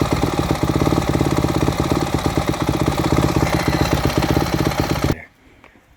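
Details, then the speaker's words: Four-stroke motocross bike with a Keihin FCR-MX carburetor, fuel screw turned in about two turns: a lumpy idle with sharp irregular exhaust pops, then the engine stalls after about five seconds, a lean pilot/idle circuit. "did you notice when it was leaned down too far the bike was trying to die off as well as it was trying to stall quite easily in addition to the excessive popping coming out of the pipe that's a sign of a lean lower circuit right there on your pilot jet or your fuel screw"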